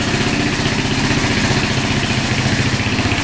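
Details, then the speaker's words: 2004 Suzuki LTZ400 quad, single cylinder, after cleaning and fresh fuel: steady even idle, no hunting, after idle turned up because throttle was slightly low; no smoke; no coolant, oil low; normal idle. "all right we're going to turn the idle up a little bit there we go it's iding good now throttle was just a little low"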